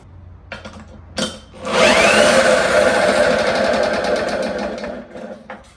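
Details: Pull-start 1954 Lawn-Boy RPM 8FH13LB mower dormant 50 years, shroud missing, running on a known-good carb with a lever on the throttle: a couple of tugs, then it fires and runs with an even buzz for a few seconds before winding down; normal running.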